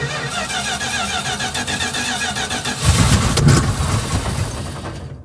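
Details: Circa-1975 Dodge pickup 360 V8 after replacing a failed starter motor: starter spins the engine in an even rapid rhythm for nearly three seconds, then the V8 fires and settles cleanly.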